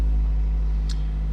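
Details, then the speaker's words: 2003-08 Toyota Matrix XR after fuel pump replacement, idling while warming up; previously bogged at operating temperature: low, smooth, steady rumble with no stumble or surge; good even idle. "It sounds good."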